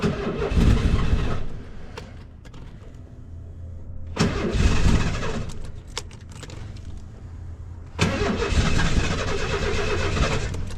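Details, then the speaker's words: 1990 Ford Econoline van in unknown condition, with a new fuel pump that is working, cranks in three bursts but never fires. Owner suspects the "C unit" may still need replacing. "I mean it's trying to so I may still have to replace the sunny unit which is totally fine"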